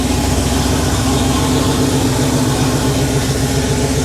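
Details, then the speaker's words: Rebuilt Porsche 911 3.2 Carrera flat-six on engine stand, second or third start, cold start running slightly rich, no smoke, Monty muffler, 34°C ambient: steady even low burble with mild exhaust note, no knocks or misses; normal idle. "got a little bit of a note to it, but it's not obnoxious at all. That's just the perfect level of noise."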